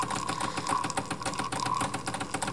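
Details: Decent Espresso DE1+PRO, about a week old, during extraction: steady buzzing pump hum with fine rapid pulse, even level, pressure reaching only about 7 bar with no spike; normal.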